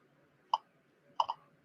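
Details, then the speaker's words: Russian Geiger counter with an alpha-window detector and its shutter open, placed directly on a tritium vial: sparse sharp clicks, one then a pair, reading only about 0.6 microsievert, roughly 3 times background. A weak source and normal counting. "You can hear there that it's actually, yeah, counting the tritium, but it's, again, like before, only going to about 0.6 microsievert, so only about a little bit of tritium, even when you've got an alpha window detector right on it, is only 3 times background."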